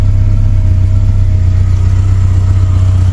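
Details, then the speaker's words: Suzuki Samurai with Holley Sniper EFI conversion, just reset: needs longer cranking, then low rumble pulses unevenly and won't settle while the Sniper self-learns its fuel map; rough idle from unlearned EFI, loud body-mounted fuel pump. "started right up almost it's the sniper he ain't figured out what wants to be yet you have to crank it a little bit longer"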